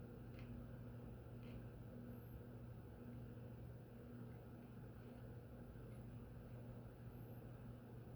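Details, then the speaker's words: SMC (Shell Manufacturing Co) promo "Crescent" 42-inch ceiling fan, model X426M, small motor: very quiet, even running with only a faint mid-range hum and no ticks or rubbing; healthy fan. "That's about as quiet as the Fasco we tested before. It's not bad. Yeah, it's a lot better than I would have thought."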